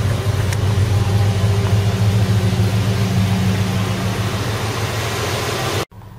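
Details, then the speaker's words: 1978 Ford LTD V8, now with better battery voltage after some adjustments, heard from the rear. Deep, even, lumpy idle at about three pulses a second with no misses: normal idle. "Well, it's definitely running better now. I've had a little bit of a fiddle with everything. Sounds nicer. Even from the back it sounds more mean. Not bad at all."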